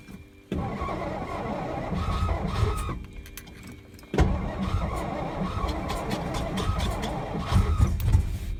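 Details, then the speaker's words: 1963 Studebaker Lark sat since 2010, weak battery, starter being rested between tries: two long stretches of rhythmic cranking about four turns a second, never catching; crank-no-start, owner later realized the tank was on E. "I'm gonna let that starter cool down for a minute. It ran good last year."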